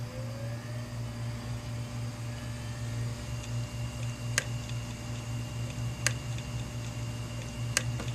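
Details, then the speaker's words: 500GB hard drive, powered up right after 18 hours in a freezer, spins up with a steady whine, then gives sharp isolated head clicks about every 1.7 seconds; it had worked before freezing. "you hear the head clicking that's not ticking so go ahead and spin that down"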